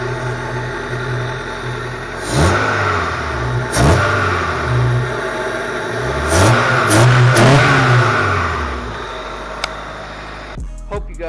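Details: 1999 Honda Accord EX a month or two after fitting a Taylor throttle body spacer, in snowy weather: several clean free revs rise and fall smoothly from a steady idle with no misses, knocks or rattles.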